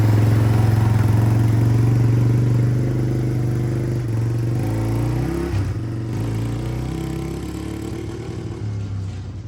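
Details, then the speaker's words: 1997 Yamaha Timberwolf 250 ATV after fuel mixture adjustment and swapping the unmarked main jet for a 95: single-cylinder thump with loose uneven note, still popping and backfiring as revs drop; owner unsure, suspects junk carb or wrong jets. "Well guys, as you can tell, um the adjustment didn't make a bit of difference for it. It's still doing the popping and backfiring."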